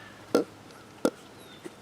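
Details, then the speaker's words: Saito FA-82a four-stroke model engine, probably not yet broken in, turned over by hand: soft gulping burps about once per second as prop passes compression; cause unclear, possibly the composite backplate; doesn't affect running. "and it still has that weird sound. Listen. I don't know what that is, but it doesn't seem to affect the way it runs."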